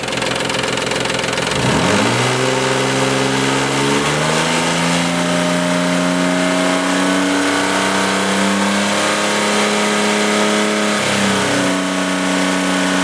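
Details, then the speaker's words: 1995 Isuzu Rodeo 3.2 V6, about 151,000 miles, revving up and down; rapid tapping knock at low rpm that fades around 2500 rpm and returns lower; owner suspects timing belt tensioner, worried about rod bearing. "now you can see that it kind of disappeared up around 2500 RPMs uh then it ret turns when you go back down to lower RPMs"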